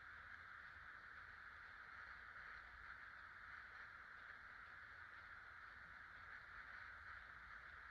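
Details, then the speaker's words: 1996 Casablanca Delta II 50-inch ceiling fan with Emerson K55 motor, original bearings replaced with new ones, running on low: faint, even hiss with no ticking, rubbing or hum; normal quiet running. "Hi, here's a Casablanca Delta II fan, this time with new bearings. I'll go ahead and turn it on low."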